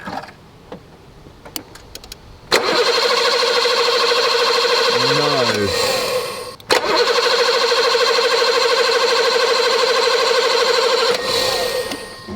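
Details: Barn-find BMW E24 635CSi with a new battery, fuel, main relay and new crank sensor, tested for spark at the grounded HT lead: the starter spins the engine at about three beats a second over two long tries and it never fires. Cranks with no spark.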